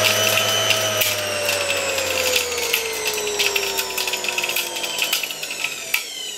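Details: Motor removed from a 1989 Soviet Uralec vacuum cleaner, run on reduced voltage of about 50–60 V: whine falls steadily as it slows, with loose irregular ticking and rattling throughout from sand and dust in the turbines.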